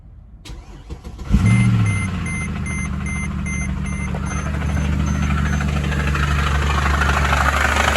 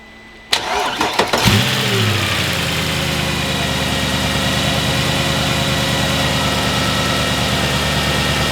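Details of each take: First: Mercedes ML63 AMG M156 V8 cranks and catches with a hard clunk, then idles rough with a dull rhythmic knock; owner feared valvetrain damage; a seized AC compressor is dragging the belt. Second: Mercedes ML63 AMG M156 V8, started after a spinning noise: it catches quickly and settles into a smooth, even idle with no knock; the engine is healthy and the noise traced to a bad AC compressor.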